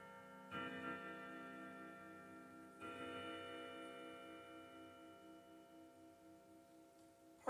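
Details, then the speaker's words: Old grandfather clock after setup, with tape around its weights so they don't foul the pendulum: slow, clear bell strikes over a soft tick, ringing nine correctly for the hour; a healthy, even strike. "now the hour hand if it's not on when it Strokes the the Chimes for the uh indicating the hour it just happened to do nine because it's set right"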